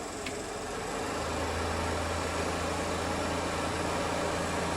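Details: Rear OEM bus air-conditioner fan motor reinstalled after greasing the bearing ends, first test run: smooth steady hum with constant low tone, no scraping or squeal; repair successful.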